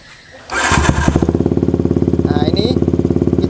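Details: Yamaha Vixion motorcycle with battery-charging complaint, multimeter on battery: catches cleanly after short crank and settles into quick even idle; charging rises from 12 to 13 V; normal start and idle.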